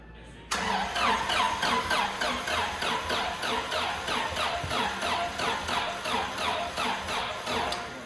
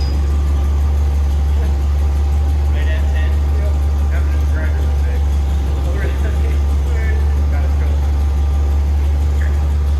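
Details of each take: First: Scout-based Norra 1000 race truck (Race Terra), first start attempt after head and valve job: starter cranks steadily, about three beats a second, without catching; hard cranking, sounds like it's fighting itself, timing suspected, maybe needs more voltage. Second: Race Terra (Scout) build engine first fired after head and valve job, not yet wired, timing being set at 10 degrees initial: smooth even low rumble at steady idle, no knocks or stumbles; idling healthily.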